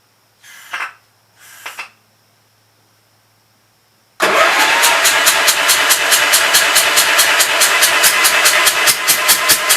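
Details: Gravely Pro 12 tractor, remote air cleaner left open (owner suspects water got in): silence then fast steady cranking about two strokes a second, never catches, some fire from exhaust; stuck intake valve, confirmed with head off, tapped back down.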